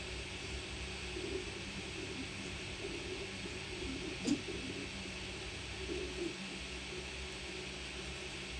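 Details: Ender 3 S1 Pro 3D printer mid-move: steady fan whir with a single sharp clunk on some movements, only on prints with layer failures; owner unsure whether the belt is skipping or something else.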